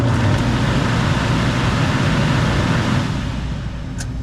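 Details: Older oil furnace with heat but not heating the home, after maintenance and belt adjustment on an old blower motor: even, low whooshing rumble, no screech or squeal from the belt; blower running smoothly.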